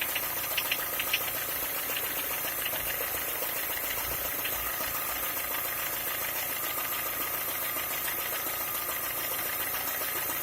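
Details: Skoda A5 with 1.6 MPI petrol engine at idle: light, sharp ticking at about two to three a second over a steady idle, a knock from inside the engine of unknown cause.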